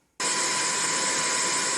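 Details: Level Up party Bluetooth speaker after a DIY charger port repair, playing in radio mode: a steady even hiss starts abruptly with no crackle or dropouts. This is normal radio static; the speaker works properly.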